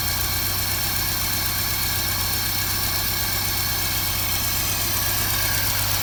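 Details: 1955 Land Rover Series One petrol engine, freshly rebuilt after about 50 years standing, first start-up; even, steady idle with smooth low rumble and no misses, knocks or ticks, running healthy.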